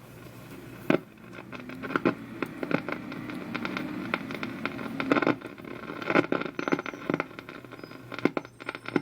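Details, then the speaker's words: Old RCA radio powered up slowly on a variac (isolation transformer) at about 93 volts drawing 0.13 A: irregular sharp crackles and pops over faint hiss, no station audio; noisy fault somewhere in the radio's circuit. "there's 93 volts 0.13 there's some crackling"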